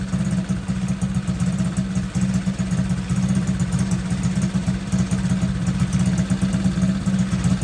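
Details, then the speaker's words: Masai 50 Black Road being repaired: small single-cylinder buzzing at idle with revs drifting up and down instead of settling; hunting idle, cause not pinned down. "ça monte ça descend ça on [Rires] voit le régime"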